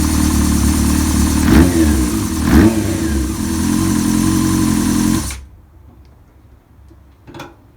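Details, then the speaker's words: Honda CBR600 F4i (2000) inline-four after rebuild with fabricated rod and main bearings, 11.9:1 compression, in break-in. Deep engine note rising in two quick throttle blips then cut off cleanly; runs crisp, sounds strong and healthy. "El motor suena bien gordo, quinaros nuevos, que se van a ver seguramente en este video o en la parte principal de este video."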